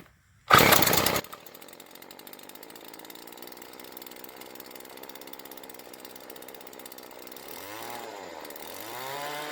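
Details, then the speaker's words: Weed Eater TE400 two-stroke string trimmer after new primer bulb, fuel lines, tank clean and spark plug clean; loud pull-start burst then quiet, even rapid buzzing idle with steady pulses, no misses, running fine. "Mongo do like Mongo do, let her run out back for a good half hour. Had a good running little machine, pretty neat too."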